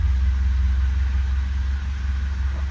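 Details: 1977 Alfa cold start after letting the fuel pump run about 30 seconds; low, steady, evenly paced idle with no stumbles or tapping, oil pressure right up; normal idle.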